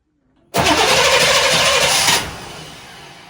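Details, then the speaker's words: 1998 Chevrolet C1500 farm truck after fuel pump cycling: about two seconds of steady cranking with no firing, then it stops; the freshly fitted fuel filter is still filling. "Almost. Still going. Fill up that filter."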